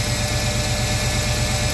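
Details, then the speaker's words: Firebird idling while being prepped out of storage: a steady idle with a regular low knock about four a second and a faint thin squeal; owner suspects the AC pulley, possibly an injector or manifold leak, unconfirmed. "I have a pulley that makes a weird squealing and kind of like a a Knockin sound to it um I believe it's the AC pulley so I'm going to end up uh deleting that anyway"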